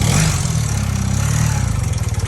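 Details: Honda Quicksilver small single-cylinder engine running after sitting 37 years, clutch seems good; putting along evenly with steady pulses, picking up slightly with throttle, no knocks or misses, runs healthy.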